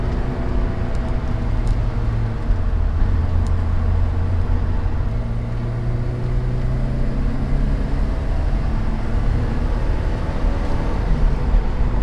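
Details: 1988 Porsche 944 on test drive after head gasket replacement and top-end reseal, compression to spec: smooth steady low drone under road noise, pulling evenly with no knocks, misses or whines, more output, no leaks; normal under load.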